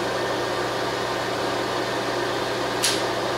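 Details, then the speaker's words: Bridgeport mill, 9x48-inch table, step pulley head, Align power feed run at highest speed: even motor whir with a steady low hum, no clicks or grinding; normal power feed running. "Kick her on. As you notice, she's"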